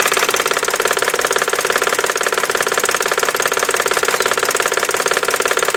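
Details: 1999 BMW 540i 4.4L V8 at idle: a steady, sharp knock about three times a second coming from the passenger side of the engine, with oil pumping at the open oil cap.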